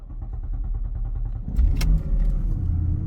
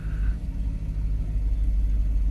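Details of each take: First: Porsche Panamera S with a loose timing chain, engine out of time and at risk of the cam adjusters slipping; uneven, stumbling idle with lumpy thumps and sag-then-surge, misfiring. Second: Porsche Panamera S V8 after timing-chain kit repair, just restarted after refueling, some items still unplugged; deep, even idle rumble with steady low pulses, no ticks or stumbles, no vibration; smooth healthy idle.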